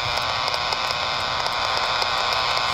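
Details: Impulse radio noise heard on 80 m and tracked on VHF/UHF airband around 300 MHz with a Yagi, suspected power-line source near a utility pole: loud, constant raspy hiss with harsh buzz and faint regular crackles.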